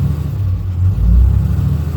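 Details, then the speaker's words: 2012 Ram 2500 6.7 Cummins after alternator replacement, charging about 15 V: a deep, smooth diesel rumble rises and settles on the rev with no whine; the earlier alternator whining is gone. "Oh yeah, it ain't got the whining noise or anything anymore, so we done what we were supposed to do, y'all."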